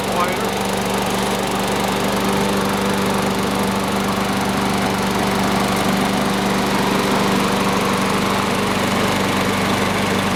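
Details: Sears Craftsman mower model 917.370610 after wash, fresh oil and oiled wheels, air filter still due: single-cylinder holds a steady, even buzz at constant speed with no surging or knocking; healthy.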